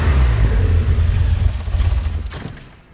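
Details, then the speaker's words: 1985 Alfa Romeo Spider Veloce, cold start: engine rumbles strongly after a small rev, then beat grows uneven and fades to a stall over about three seconds; owner suspects revving before warm-up caused it. "And we killed it. Go ahead and start it back up. It's Italian."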